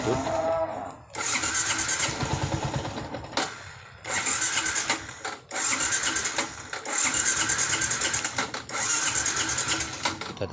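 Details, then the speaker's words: Yamaha Jupiter MX New, hard to start, engine surging in uneven bursts and sagging between throttle blips: hesitation and stumbling from a never-serviced dirty carburetor; ignition system normal. "tadi waktu pertama coba hidup ya teman cuman nggak mau digas sedikit brebet atau delay"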